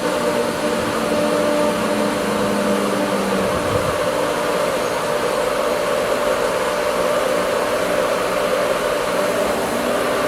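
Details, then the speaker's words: Pool pump after regaining prime from a dry vacuum line, left running to flush the line: steady, even motor hum with smooth water rush, no surging or gurgling; running normally. "Okay. Now we can say that we turn the pump on. So from here let it run I don't know give it you have to let it run for time."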